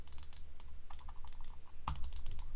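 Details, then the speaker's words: New Corsair RGB gaming mouse on a desk: crisp, light, evenly sharp clicks in quick bursts from buttons, wheel, DPI and sniping button; quiet and healthy. "Voilà, ça c'est les boutons. La molette. Fait pas beaucoup de bruit."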